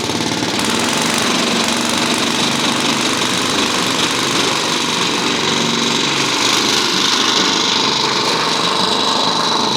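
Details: Simplicity 2110 tractor mower, first start after sitting outside for two decades or more, choke on: loud, steady small-engine clatter at an even pace with no stumbling; running normally.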